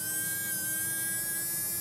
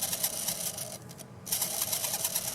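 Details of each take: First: Mantua Shifter tender motor after cleaning commutator and brushes; steady even whirring hum with clean high tone, no crackle or stumble, running smoothly. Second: Mantua Shifter tender motor after cleaning carbon gunk from commutator slots and brush faces, before oiling bearings; fast high chattering squeak over a light whir, fluttering unevenly, owner suspects dry bearings.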